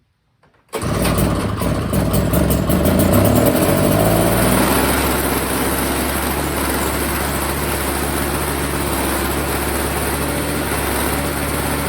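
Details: Old Snapper two-stroke snow blower, first start after storage with fresh oil-gas mix, before repair; catches after a brief crank, revs up, then settles to a steady, even idle with no misses, though it's dumping gas: normal running.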